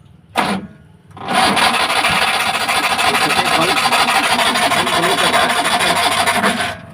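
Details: Maruti Omni MPFI without immobilizer, crank but no start: starter spins at an even, rasping pace for about five seconds but the engine never fires.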